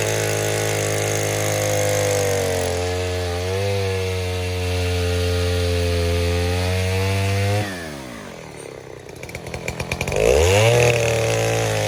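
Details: 070 clone chainsaw with 42-inch solid bar and chain, first use, cutting white oak firewood: strong steady two-stroke howl holds pitch through the cut, then drops and revs back up cleanly; well-running saw.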